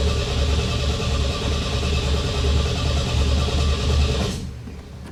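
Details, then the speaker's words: 1975 MGB that sat about 16 years, carburetor shot, electric 3 psi pump made it spray fuel, back to gravity feed: rough, lumpy, uneven beat that sags then cuts out, won't hold idle; stumbling rough running, cause unconfirmed. "she's not happy is she ah"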